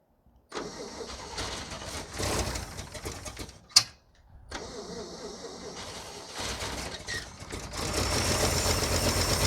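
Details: 1951 International Harvester L110 truck, Silver Diamond inline-six, 6-volt, not run in years, valves slightly loose, primed with gas: cranking, brief pause, then catches and settles into an even, strengthening run; starts fine.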